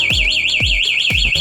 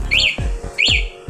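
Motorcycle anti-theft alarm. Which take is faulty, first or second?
first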